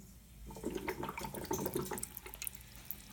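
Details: Boiler being bled, with the third heating zone line left open and the valve in manual position to drain water: irregular spitting and gurgling of water mixed with bursts of air as trapped air purges from the loop.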